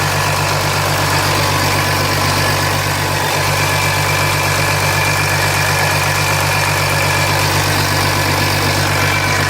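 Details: 2007 Jeep Grand Cherokee 3.0 CRD diesel started from cold at idle, oil light on at idle but off when revved, oil level correct: busy metallic rattle two to three beats a second; owner suspects timing chain, not localised at front.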